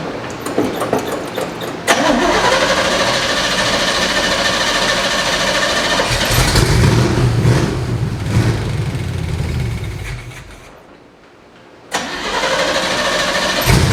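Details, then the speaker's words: Abandoned Chevrolet C20 truck, distributor loosened, timing set by ear before the timing light: starts and runs unevenly with a lumpy, wandering beat, sags and dies near ten seconds, then restarts; rough idle. "it uh it doesn't sound better so let's try a little timing adjustment here and see if that has any sort of effect on let's try that and see what that does see if there's any improvement now"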